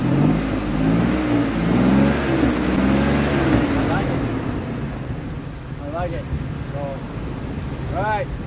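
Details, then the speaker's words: 2003 Ford Explorer that failed inspection for a misfire, after replacing the ignition coil: revs cleanly and settles with an even, steady note, no stumble or popping; running smoother than before. "it's running smoother than it was"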